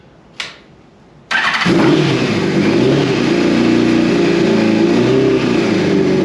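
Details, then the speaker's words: 2002 Yamaha FZ1 1000cc, first start in 8 years after tank cleaned, new petcock, cleaned cap and sending unit: a click, then the engine catches and settles into a steady, even idle on its own fuel. Normal idle. "That's idling on it. Look at that. It's running on the road."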